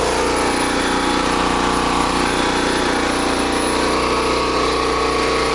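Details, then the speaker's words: Small generator after carburetor replacement running at 60.1 Hz with a light load, fuel shutoffs off and choke 3/4 closed to empty the bowl; smooth even buzz with no surging or hunting; normal running. "Still running at 60.1 cycles. This is great."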